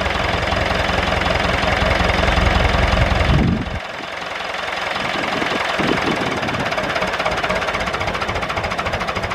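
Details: David Brown 996 diesel tractor, left sitting about 10 years, first start: louder start burst, then a steady clattering idle at about 160 beats a minute; normal idle.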